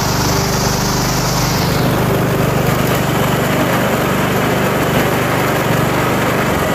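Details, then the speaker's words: Lawn mower at its spring start-up after winter storage, cold at about 40°F and left on choke longer: idles slow and even with no misses or knocks, running normally. "and it idles nice and slowly because it's cold but it's running yeah I just had to leave it on choke for a little bit longer because it's about 40 degrees out here"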